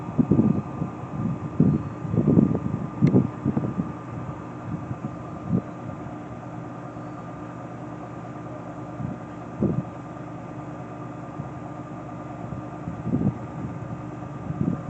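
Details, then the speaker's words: Whirlpool WFW9500TW front-load washer, 16 years old with no repairs, whites cycle spin: faint steady hum, soft high whine, dull thumps from tumbling laundry; motor louder than a belt-drive GE; normal spin. "And you guys can I can actually hear the motor more than I can on the GE. And also, both the motors sound different, even though they are both well, the GE is a belt drive motor, versus this one is a convention motor."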